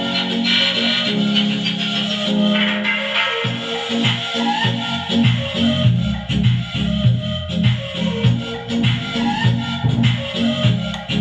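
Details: Transistor amplifier after repair; one channel had been distorted from a burnt resistor, and a loose speaker wire had cut sound. Music now plays clean and full with steady bass and no crackling on either side. Normal amplifier playback.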